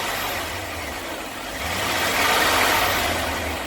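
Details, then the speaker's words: 1999 Chevy Express 2500 WT van, sat eight years, after running a good while to warm up: steady, even, smooth idle with no misses or knocks, holding good temperature and oil pressure. "that's a happier engine holding good temperature good oil pressure much better"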